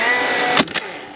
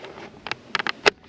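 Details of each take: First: DeWalt DCFS950 9-gauge cordless fence stapler, about two years old, in multi-shot mode: motor whirs, one sharp crack as the staple drives, then winds down and quits with the jam light blinking but no jam. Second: DeWalt DCFS950 9-gauge fence stapler working again: crisp clacks at irregular intervals with short whirs between, each shot firing cleanly. Owner suspects the earlier fault was rain or dew causing electrical contact issues at the jam mechanism. Normal firing.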